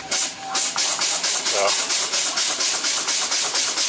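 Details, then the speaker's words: Kenworth T600 truck air system won't build pressure: a hiss pulses about twice a second and never shuts off because the air dryer purge valve is sticking open; fix is replacing the purge valve. "gonna end up putting a purge valve on it sticking open so when it does that it'll keep the air you know it won't shut off"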